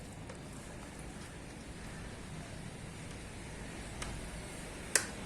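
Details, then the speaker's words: Tein Flex Z coilover damper adjuster; one crisp detent click as the adjuster turns with the lower portion rotating, click assembly working normally. "Okay, now when I press it, now you hear the clicking also, but lower one portion is also turning."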